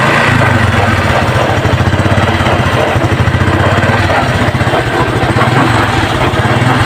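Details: Honda XRM 125 fuel-injected motorcycle idling: steady rapid knocking riding on the exhaust beat, reported under the engine in every gear first to fourth; worn transmission bearing letting the shaft wobble.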